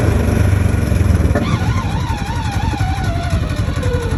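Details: 2015 Polaris RZR XP4 1000 with Packard turbo and Boondocker clutch, belt replaced and sheaves cleaned: off throttle, a clear whine falls steadily in pitch as it slows; whine on deceleration, source unknown.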